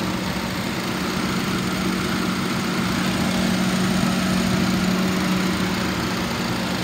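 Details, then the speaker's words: 2005 Ford Crown Victoria Police Interceptor, about 82,000–83,000 miles, warm after running about an hour: a smooth, even V8 idle with a steady beat and no knocks or misses. The car is in rough shape otherwise. "Motor sounds good. It's been running for about an hour."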